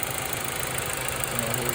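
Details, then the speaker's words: 2005 Mazda3 2.3 four-cylinder just after valve cover gasket replacement: a smooth, even idle with a steady beat and no ticking or stumbling. No engine lights, much smoother than before; spilled oil burning off causes smoke. "Let's see how good I did. No engine lights. A whole lot smoother"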